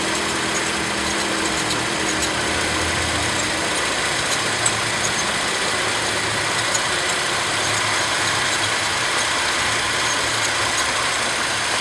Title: W203 M112 engine serpentine belt chirping noise